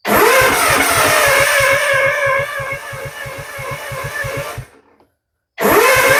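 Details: Gravely with rebuilt Kawasaki FR651V engine, first start after rebuild; heavy low chugging pulses at a steady beat that sag and die away; owner suspects timing off, though timing marks were lined up; engine running rough from fuel starvation.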